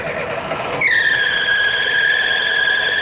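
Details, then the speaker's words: Loud steady high squeal as the car starts, from a loose alternator belt slipping. "então galera chato esse barulho não é além de chato esse barulho pode te deixar a pé qualquer hora porque essa correia do alternador ela está frouxa então por isso que ela está fazendo esse barulho"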